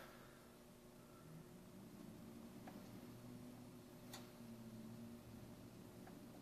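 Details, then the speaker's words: Grid-tie wind turbine system, four micro turbines feeding China GTI inverters on 220 V: sharp irregular clicks every second or two over faint electrical hum as small inverters overvolt and pass power to the larger one, normal operation. "again you can hear the inverters clicking little guys are going to overvolt and letting the rest of the power pass to the uh big one case so I'm running high voltage at that point"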